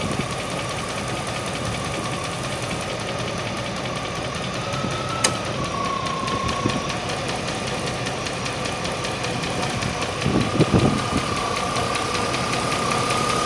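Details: 1998 Range Rover P38 V8 at idle: a heavy, somewhat uneven tick tracking engine speed, still at valve speed. Likely valve train, but the exact source is unconfirmed.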